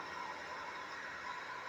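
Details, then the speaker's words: 8-year-old PS4 that sounded like a jet engine, after a first-ever full deep clean of the cooling fan, running a game for almost an hour, recorded up close: soft, steady airflow hiss with no whine, rattle or surging; the fan runs smooth and quiet. "You can just hear that fan and airflow just pulling in there, guys."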